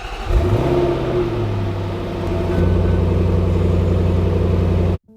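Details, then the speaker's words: 2021 Range Rover SVR, salvage rebuild after an engine failure, starting before a drive to the Sahara: engine fires and settles into a steady, even low rumble with a smooth rise, no knocks or rattles; runs normally, only the tire-pressure warning is on. "Parece ótimo, mas como estamos? Não há defeitos, exceto pela luz de aviso da pressão dos pneus que apagará assim que eu começar a dirigir, porque eu acabei de calibrar os pneus."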